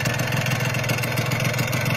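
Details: Yamaha RXZ two-stroke stored for a long time and run once a year, started with one kick after fresh engine oil, petrol and 2T oil: quick, even buzz at constant speed, no misses; normal idle.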